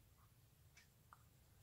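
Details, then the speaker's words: Hermle 451-050H floor clock mechanism after beat adjustment: soft, light ticks about every half second over quiet room hiss, very even impulse from left to right swing, timer shows about 0–3% error, clock in beat. "can hear the pendulum beat has got a very even impulse from left swing to the right swing"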